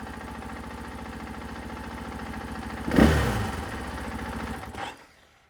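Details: 2024 KTM 500 XW-F after fitting a Vortex ECU: a steady single-cylinder idle snaps cleanly to a fast full-throttle twist and drops back smoothly, with no stumble or bog. Normal, responsive throttle response.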